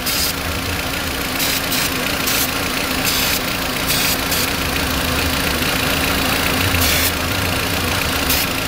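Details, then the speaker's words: 2004 VW Beetle 1.8T idling with rough idle and hard brake pedal: short aerosol hisses while spraying vacuum fittings; idle rises when spray reaches the leaking brake booster vacuum line. "this vacuum leak is way back in the back it's on the booster cylinder"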